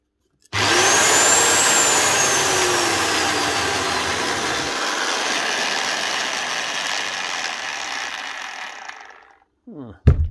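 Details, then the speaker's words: Rotabroach magnetic drill spinning up with a loud, rough, gravelly running noise; the spindle's linear needle bearing is totally shot, needles dropping out; failure can also damage the shaft or sleeve. "How do you know if a needle bearing's gone? They don't stay on. They're not worn out, they're dropping out everywhere."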